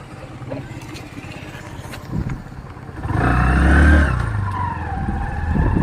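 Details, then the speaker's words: Bajaj Platina 100 single-cylinder motorcycle just after an oil change that was overdue at 3,000 km; the old oil had caused heavy vibration. Under way it now pulls steadily and evenly with no shudder. Normal running. "இப்ப பாத்தீங்கன்னா sound smooth ஆயிடுச்சு."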